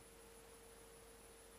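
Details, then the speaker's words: Open-source inverter on Prius battery, 50 A motor current limit, motor stalled with no throttle: faint steady whine from 10 kHz PWM with small current flow, shaft rocking slightly; normal inverter-driven motor whine. "we can actually hear there's a 10 kilohertz PWM going on, a little bit of current flow, and you can, if you were to look at the motor, you'll see the shaft kind of rocks back and forth a very small amount."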